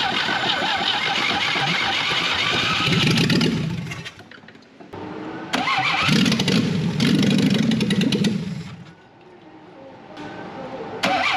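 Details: 1968 BMW 1800 barn find, carbureted: repeated bursts of steady cranking with pauses, never catches; external carburetor pump working but leaking, suspected blockage in the cleaned carburetor.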